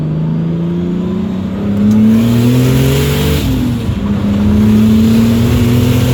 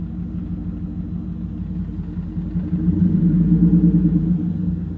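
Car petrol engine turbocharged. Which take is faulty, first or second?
second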